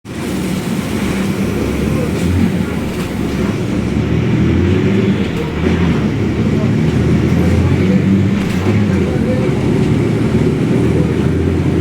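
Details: Caio Apache Vip 4th-generation bus on Mercedes-Benz 1724L chassis driving on route: heavy, constant low roar under the diesel drone; rear differential roaring very loud.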